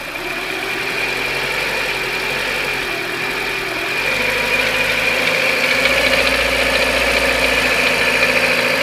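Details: Renault K4M engine, warm, around 2000 rpm: light, fairly regular tapping about three to four per second over the hum; internal engine knock of unknown origin.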